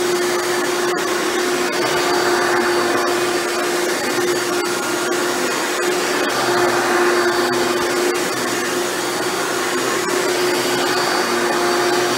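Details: Hoover Elite upright vacuum test run after motor rebuild with new motor bearings: steady, even high hum, clean single pitch, no rattle or scraping; runs much better than when acquired.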